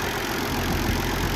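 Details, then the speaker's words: Massey Ferguson 1250 tractor, first start after work: steady, even diesel idle with a firm low rumble, no knocks or misses; runs well, with minor fuel and oil leaks noted. "Sounding good. Sounds all right. Runs all right."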